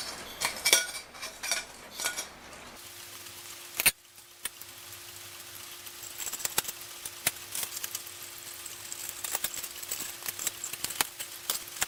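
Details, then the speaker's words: Rusty Forestville wind-up alarm clock after re-oiling the movement, having run for two to three hours: light, even ticks at a steady beat in a quiet room with no drag or stumble. The movement is running healthy. "well I've had this run for 2 or three hours and it seems to be ticking just fine like I said I reoiled it"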